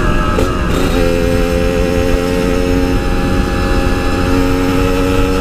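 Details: Yamaha RX King two-stroke, riding after fixing high-rpm stutter, recorded through a half-face helmet with wind noise: strong, steady high-revving buzz, no stumbling or cutting out; normal high-rpm running.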